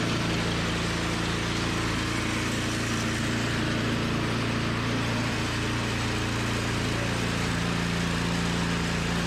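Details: Toro 521 snowblower started after replacing a blown drive belt, new belt nice and tight. Small single-cylinder engine runs steady and even, no squeal or slap from the drive; running healthy after repair.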